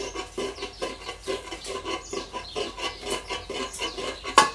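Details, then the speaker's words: 1992 Toyota Tarago front strut, about two years old, removed and hand-pumped with the coil spring off: rhythmic creaking clunks about three per second, compressing easily and rebounding fast with no resistance; internal strut failure, not the top mount, no leak. "So it's not the top mount. We do want to make sure that that's on properly, but it's the strut itself that's gone kaput. Even though it's functioning, it's noisy."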